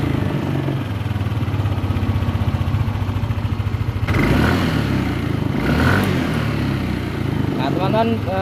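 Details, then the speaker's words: Yamaha Lexi 125 scooter after engine rebuild for worn piston from running low on oil: engine runs with even beat and light steady click-ticking from the VVA solenoid actuating, which is normal. "dengar petek gitu ya suara klik suara piket detik begitu Itu adalah selenoid Disini yang sedang mendorong dari punya itu"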